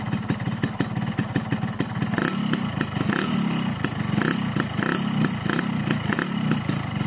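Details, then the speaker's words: Two-stroke motorcycle on Husqvarna HP 2T oil and Pertalite fuel, stock carburettor at standard jetting 22.5/145, aftermarket Crun block and GASPOLL CDI; crisp, even popping idle judged normal, neither rough nor soft, for the standard setting. "Nah kemudian untuk suara mesinnya dia ini termasuk normal teman-teman ya masuk normal Enggak kasar-kasar banget juga enggak adem normal lah ini untuk setelan standar"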